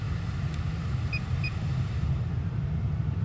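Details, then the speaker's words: 1992–94 Lexus SC300/SC400 climate control unit: steady blower rumble going from low to higher fan speed, two quick beeps as mode pressed, no clicking or grinding; vents switch correctly, unit works normally. "You can hear the fan speed low and then increase in speed. If you select mode, you can tell it changes to the correct vents,"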